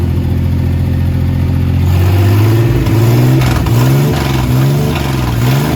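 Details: 1967 Jeep CJ5A with Dauntless V6, dual exhaust, just revived after sitting in a garage: smooth idle climbing into clean, even rises and falls in pitch with each throttle blip, no misses or knocks; V6 revs healthily.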